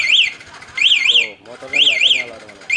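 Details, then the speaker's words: Anti-theft remote alarm just installed on a Yamaha Vixion new LED motorcycle sounds when the key is inserted while the remote is locked: loud warbling siren rising and falling in sub-second bursts, repeating; engine won't start until remote unlocks. "alarm ini lebih aman untuk kita parkir teman-temannya"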